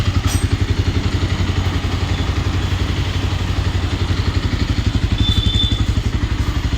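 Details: Bajaj Pulsar 220 BS6 motorcycle after engine repair for bad engine noise, started in neutral: even, steady low thumping at about four beats a second with no knocks or rattles; healthy single idling smoothly.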